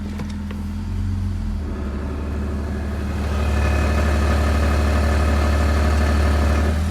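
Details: BMW E46 with M54 engine, warm idle in Drive: regular dull thumping nearly four beats a second under the hum, almost absent in Park, Neutral and Reverse, and gone with oil filler cap off; cracked flexplate knocking.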